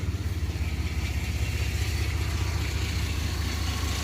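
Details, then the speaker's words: 1990 Chevrolet S10 Blazer 4.3 V6, warm at about 170°, 40 psi oil pressure, with new plugs, wires, cap and rotor: slow, lumpy idle at about 650–700 rpm instead of 800–1000. Idle speed is too low. "See how it's idling too low? Now, this ain't right. Sounds like it's like 700, 650 RPM or something like that. It's way too low."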